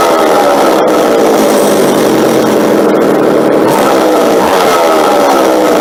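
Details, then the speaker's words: McCulloch two-stroke chainsaw being tuned up, bar not yet fitted: holds a steady, buzzy idle without stalling or surging; sounds properly set up. "and then actually running it into when I pull it here now it'll actually just stay idle"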